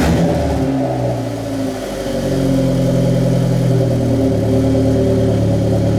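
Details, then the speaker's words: Turbo-build car after downpipe fitted: steady even idle, lower than it normally idles, then a clean rev blip that climbs and settles without stumbling; engine healthy, idling and free revving normally. "Perfectly fine. For right now, it's idling. It might be idling a little high. No, actually, that's lower than where it normally idles."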